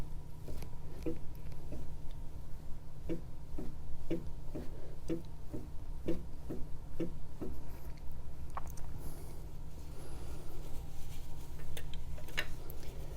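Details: 2018 Wahoo Kickr trainer with a loose key way, seemingly misrepaired by a previous fix, metal shavings found: steady low hum with a light regular click about once a second; flywheel axle has back-and-forth and up-and-down play, suspected cause.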